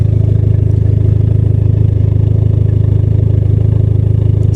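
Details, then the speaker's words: 2003 Dodge Neon SRT-4 turbo four at idle, heard up close at the exhaust on the walkaround: deep steady burble, even pulses, no misses or rattles; runs and sounds great. "runs great sounds great and in my opinion looks great too"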